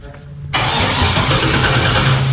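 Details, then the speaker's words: 1957 Chevy Bel Air with unfinished 5.3 LS swap and 4L60, on a jump box after a dead battery: starter spins steadily but engine never catches; cranks without starting, cause not found. "first things first it didn't start even though it was supposed to so that's a good sign"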